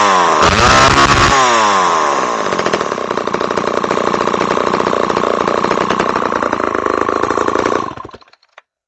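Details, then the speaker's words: Homelite XL-12 chainsaw, started with mix poured down the carb throat. A crisp, buzzy two-stroke note climbs, holds a steady high idle, then stops cleanly. It fired right up, the oiler and clutch work, and the recoil sticks a little. "literally this thing fired right up it's oiling the clutch Works"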